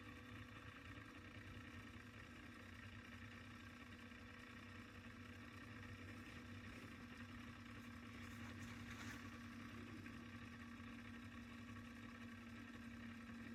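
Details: Sony TC-K777 cassette deck, restored (failed transistor replaced, reel motor adjustment fixed per service manual): final test winding tape to the end, soft steady motor whir, even pitch, no labouring, pulling without effort; healthy.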